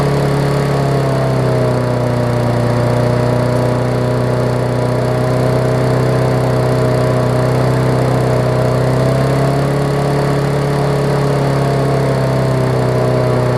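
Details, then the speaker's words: Murray 20-inch 3.75 hp push mower, long dormant with freed stuck intake valve, first run, old oil: steady low drone dipping and recovering slightly but never climbing. "so yes that governor arm is actually very stiff so let me grab a quarter inch and uh actually it's loosened up a little bit as we speak here"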